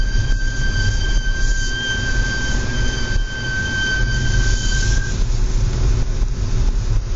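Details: Audi S4 B8 braking in low outside temperature: a loud, steady, high-pitched squeal with bright overtones over a low rumble for about five seconds, then fading; extreme brake squeal.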